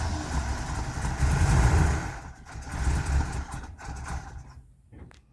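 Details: 1985 Winnebago with 454 big-block V8 and Turbo 400, 32,700 miles, off the road nearly 17 years, fed from a bottle: deep, lumpy rumble catches and runs strongly a few seconds, then fades; it runs with oil pressure.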